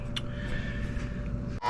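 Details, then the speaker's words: Furnace blower motor, capacitor from 2018 suspected worn, after running a while: steady low hum with a faint fixed tone, no speed change; failing blower motor windings, motor to be replaced. "All right. So, it ran for a while. Now, it's huming. Those are the windings that are failing in the motor."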